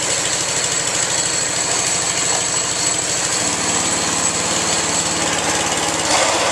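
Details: Small single-cylinder engine, started after switching fuel on and easy-start: steady rapid beat settling to a slightly different even speed, running cleanly.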